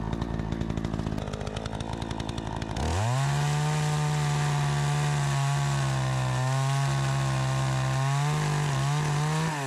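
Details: Troy-Bilt 20" two-stroke chainsaw after carburetor adjustment, cutting wood: a rough, rattly start, then it settles into a strong, steady high drone that holds pitch through the cut; it cuts better than ever since new.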